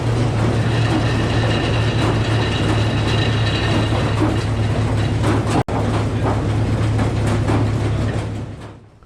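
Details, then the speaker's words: Old Frick sawmill with a 605 cubic inch engine driving a big blade while cutting poplar logs: a deep steady drone with metallic clatter and ringing, then it winds down. Metal-on-metal noise, cause unknown. "So that noise we all just heard sounded like metal on metal. That's clearly not right. Everyone here at the sawmill heard it."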